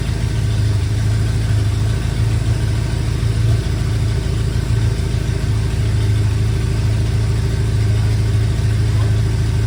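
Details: BMW E70 X5M with twin-turbo S63 V8, first start after a full engine rebuild; deep, even rumble holding steady with no knocks, ticks or misses, running smoothly and healthy.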